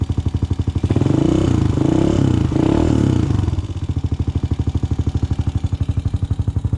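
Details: 2006 Honda TRX250EX after top-end rebuild (new cylinder) and fresh 10W40 oil: quick rev dropping back to an even, steady thump about three beats a second, no knocking; healthy running, rebuild a success.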